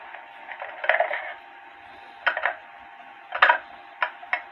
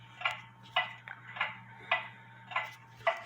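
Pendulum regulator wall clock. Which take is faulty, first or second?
first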